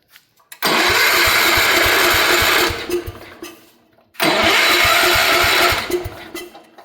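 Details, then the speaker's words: 1972 Gravely Commercial 12 walk-behind, a barn find that sat for years, with a new air filter and starting fluid. Two long bursts of rapid starter cranking, no firing. Cranks but won't start because spark was lost again; the points are to be cleaned. "We lost spark again. I'm going to clean the points again."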